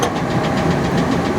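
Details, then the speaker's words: 1997 Ford E-250 Econoline van, revived after years sitting: rough idle with a light, quick ticking knock over the engine; owner suspects a rod knock, unconfirmed. "sounds like she's got herself a little rod knocked a little a little tikka talker i'm gonna need to put a coyote engine in this"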